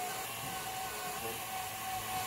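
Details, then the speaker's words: Tesla Model 3 cooling system: steady coolant pump whine with bubbly sloshing gurgle as trapped air passes through pumps, blocking coolant flow; being purged by drawing a small vacuum on the coolant reservoir with an adapted hand pump. "Man, they are catching some air. But they're running a lot better."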